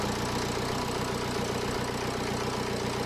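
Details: BMW idling on first start after turbo rebuild and replacement, fresh oil added, plastics not yet refitted: steady even hum with no knocks, rattles or whistles; no leaks, no smoke, runs healthy.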